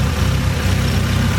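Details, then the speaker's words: AE86 Trueno, turbo 4A-GE with new forged engine build, after turbo checked with no leak (gasket may need redoing); deep, steady idle, even low rumble, no hiss or whistle, exhaust perhaps slightly louder: normal idle. "yeah it sounds like the exhaust slightly louder than before or maybe just my imagination"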